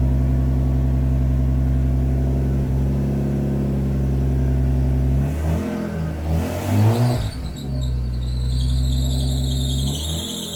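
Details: Nissan S14 RB20 after swapping in an RB25 turbo: steady low idle, a clean quick rev, then a faint high whistle as it settles; sounds better than the earlier chattering exhaust.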